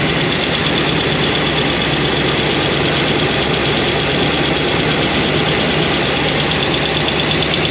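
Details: Idle ticking from a new Comp Cams hydraulic roller cam and lifter combo after break-in, valve covers off: light, fast tick keeping time with the engine. Number 7 exhaust lifter is noisy and shows little oil flow. Poly lock adjustment won't quiet it.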